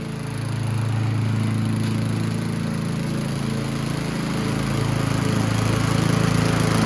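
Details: Yard Machines (MTD) 22" High Wheeler push mower, 4HP Quattro Briggs & Stratton, after all found issues corrected, test cutting passes: steady, even single-cylinder drone holding speed under load; running healthy.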